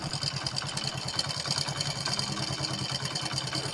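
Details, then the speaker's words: Very old Hero Splendor motorcycle at idle: a fast, uneven metallic rattle over the steady single-cylinder idle from a worn, bad timing chain, which is to be replaced. "শুনতে পাচ্ছেন যে অতিরিক্ত sound বাজে এর কারণ হলো আমাদের timing chain যেটা আছে খারাপ"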